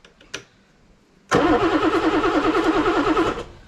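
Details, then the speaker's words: BMW E9 3.0 CSi barn find, first start attempt in over 20 years: about two seconds of rhythmic cranking, roughly three pulses a second, never catches; injectors deliver no fuel. "so there's nothing coming out those injectors"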